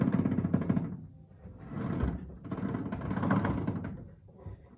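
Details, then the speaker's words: Triumph TR7, wheels just refitted after Wilwood brake install, steering turned: harsh groaning and grinding surges with each turn; steering rack noise when turning, rack needs work. "I want to turn the wheels just so you can hear the horrible noise that the steering rack"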